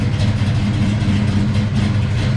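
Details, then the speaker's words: Big block Chevy Bel Air with Holley Sniper fuel injection idling after the fuel lines were fixed; the IAC is still being cooked down. It has a deep, steady V8 burble with an even firing rhythm and no misses or knocks, a healthy idle. "yeah we uh we're cooking at the uh the IAC down on the sniper and it takes a while as you've seen on the handheld"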